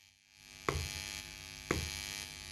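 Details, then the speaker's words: 20-watt busking amp powered from a power bank with a pure sine wave output: low steady mains-type hum that worsens when the amp is touched, with two sharp clicks; touching both the amp and the base quiets it; source unknown. "now weird thing is if i touch it it goes worse can you hear the difference"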